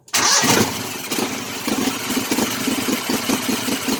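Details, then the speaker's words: Kohler Command CH18-CH25 V-twin: catches after a short crank, then a choppy, stumbling idle with irregular chuffs, running extremely rich on one or both banks; owner suspects a dead coil; rough idle from rich mixture. "running extremely rich on one bank, or maybe two. Burning my eyeballs in here."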